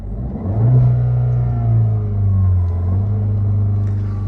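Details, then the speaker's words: 2013 Dodge Dart 1.4 turbo with dual dry clutch transmission, about 72k miles; engine climbs smoothly and holds high revs, flattening as if capped by a rev limiter, no knocks or rattles; sounds okay. "it sounds okay it sounds like it has like a rev limiter on it which is kind of stupid"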